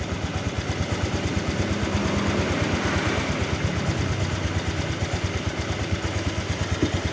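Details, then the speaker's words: Honda Vario 125 (older model) scooter after repair, without removing the engine, of a leaking water pump seal that let coolant into the engine via the cam chain path. Radiator refilled; it revs, then settles to an even single-cylinder idle with no coolant spray, warming up normally. "Oke, kita gas. Aman ya, aman, nggak muncrat."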